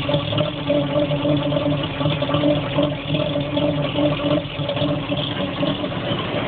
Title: CCKW engine knock